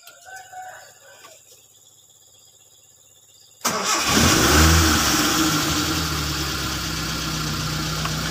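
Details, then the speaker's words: Car after owner replaced previously mentioned parts, repeated restart test: engine catches instantly on one short crank and settles into a smooth, steady idle with no stumbling; starts normally. "Jadi starter sekali saja hidup. Perhatikan, mau kita starter. Mobil hidup juga enak ya."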